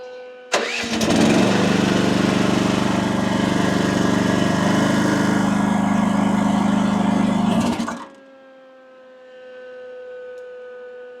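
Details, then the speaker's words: AGT WH12R 1-ton mini excavator diesel, relief valve screwed in 1.5 turns, boom deadheaded up, gauge flickering to around 3000 PSI; engine bogs into deep steady drone about seven seconds, then eases to idle: lugging from relief set too high. "That may be too much. Let me do the bucket. I'm thinking that's too much."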